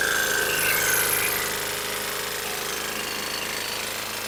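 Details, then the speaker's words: Junk lawn mower (Honda or Troy-Bilt), possibly used commercially: harsh, rapid metallic banging, about four hits a second, over a loud rattly run; suspected connecting rod bearing knock, with heavy oil blow-by and possibly low compression. "foreign so it sounds horrible I think this thing might have been used commercially it's just got a lot of banging connecting rod bearing Bang it just doesn't sound good"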